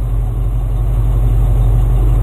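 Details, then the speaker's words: Engine just fitted with a new aftermarket carburetor, choke partly removed before first drive: low, smooth, even idle around 700 rpm with no stumbles, hunting or ticking; running properly. "700 RPM she's just happy"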